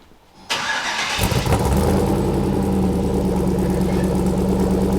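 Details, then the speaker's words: Jeepster at its final build stage with freshly finished exhaust, lowered onto the ground: cranks, catches within a second and settles into a steady, deep, even idle through the exhaust; sounds good, normal healthy idle. "Sounds good. Does sound good. I like it."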